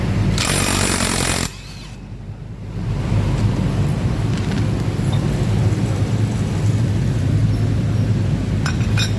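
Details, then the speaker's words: Yamaha NMAX 155 with hot engine: coarse low rumbling roughness with uneven pulsing from the CVT, suggesting rollers sticking in a damaged roller housing. "Today's case is the Yamaha NMAX has a rough sound in its CVT. And this rough sound appears when the engine is hot."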